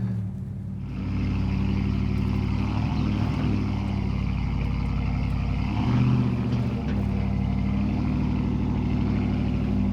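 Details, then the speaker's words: 2009 Dodge Ram 5.7 HEMI V8 with fresh Jasper engine and Flowmaster Outlaw dual exhaust, in 4-low climbing a hill off-road under load: deep, even, beefy growl swelling smoothly, less barky than previous Banks exhaust; healthy, normal exhaust note. "Definitely don't think this thing is too loud. It's just kind of got this real beefy kind of growl going on here, and it's very nice."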